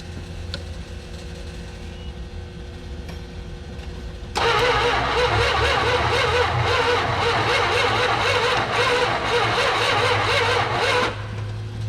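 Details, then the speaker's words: Mopar station wagon sitting 31 years in a field, spark plugs back in, distributor reset: steady starter churn about three turns a second, never catches; gas dripping, owner suspects it is flooded. Cause unconfirmed. "I smell so much gas and it's just dripping out of there so I think it's way flooded right now probably is just need to let her sit rest for a while"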